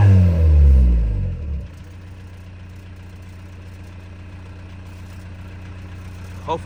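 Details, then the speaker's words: VW TDI diesel, with the camera at the exhaust: a hard rev falls back to a ragged idle, then sharp exhaust pops. It misfires and backfires, scorching the grass. It idles fine but dumps fuel above about 2k rpm; the cause is not found despite many parts being changed. "you guys hear the backfire and look at there where I was pointing and burned the exhaust I mean the grass I don't know what's going on with my car honestly"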